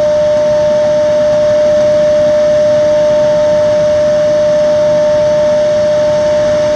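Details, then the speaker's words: Xeikon 5000/6000 drum refinishing machine, recently repaired with new belts and gears: loud, steady bell-like ring at one clear pitch over a hiss as the aluminum drum sings under sanding, normal. "And this thing makes one ridiculous noise. I'll try to get it set up so that you guys can hear it. It rings the aluminum drum like a bell, pretty much."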